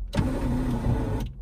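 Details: Electric window motor on an 1980s Ferrari 308, passenger side: a brief smooth whir of about a second at steady pitch, no grinding or stalling, as the glass travels normally.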